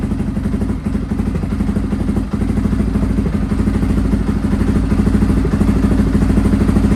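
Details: Restored Honda XR650R big single ticking over on its first run in years, started in a cold workshop by heating the inlet manifold; valves adjusted, carb rebuilt. Even exhaust beat, no clatter or knock: quiet, healthy idle.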